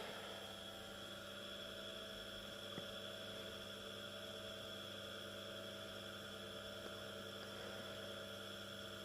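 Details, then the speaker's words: Small 230 V single-phase induction motor, run from a homemade variac at about 110–165 V: quiet, steady hum with a faint high whine, smooth running. Audibility rose from 55 to 115 V but barely increased from 110 to 165 V. "what I've also been able to detect that as soon as I went from 50 55 to 115 volts the audibility of the motor has increased but when I went from home 151 or 110 to 165 volts the noise hasn't really increased that much"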